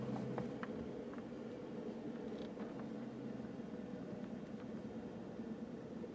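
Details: 2010 Jeep JK: steady, buzzy drone with a rough, fluttering edge under the vehicle noise; unexplained vibration noise, cause unclear.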